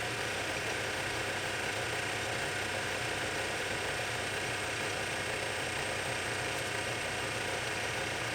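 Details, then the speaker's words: Lathe boring the bore of a back gear for a project lathe with a boring bar, light skin pass to check clearances, no coolant: steady even cutting hiss over the drive hum, no ringing squeal or rhythmic chatter, a clean, stable cut. "at the moment we're just taking a little bit of a skin pass make sure we got clearances and as you can hear there's no chatter it's just cutting it's just cutting"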